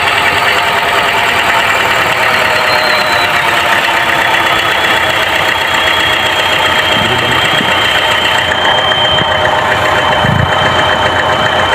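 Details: Chevrolet Trax with P0300 code: petrol engine idles with busy, uneven chatter and faint whine; engine misfire at idle.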